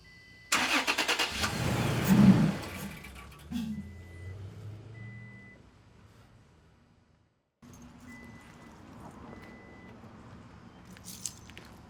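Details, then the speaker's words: 2020 Toyota Tacoma TRD Off-Road after K&N NextGen cold air intake install and MAF cleaning: cranks, catches with a brief rev, then dies within seconds. "I just cleaned off the mass air flow sensor. I'm thinking maybe that's something with it. Um, I don't know. I try and start it up and it immediately dies."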